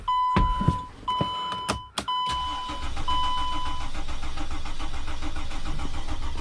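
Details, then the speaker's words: Mercedes Sprinter diesel van, front end being taken apart for oil cooler seal leak work: several short cranking bursts with beeping before the engine catches and settles to a steady idle; a slow, hard start that takes a while. "last time i tried to start it i couldn't really hear it in the camera and as you could tell it takes a while for it to start"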